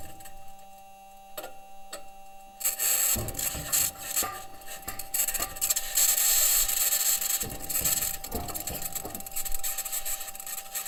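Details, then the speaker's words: Perseverance Mars rover driving on metal wheels: irregular metallic bangs, pings and rattles as the wheels roll over rock, with a harsh high-pitched scratching laid over them that the team has yet to explain. "also present in the recording is a high-pitched scratching noise which the team has yet to explain"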